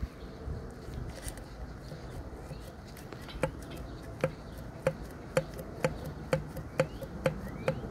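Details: Johnson 70hp outboard, piston rocked by hand: about nine sharp metallic clacks from piston slap, as excessive piston-to-wall clearance (spec 0.0055 in max) lets it move, scoring cylinders near the intake ports.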